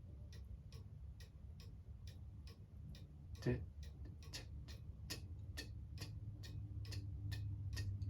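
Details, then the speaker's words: Cuckoo clock hung on the wall during setup, pendulum on and weights wound: steady ticking about three a second with a slightly lopsided tick-tock; out of beat, corrected by shifting the clock left or right by ear until even. "it's a little bit off. You want it to sound even."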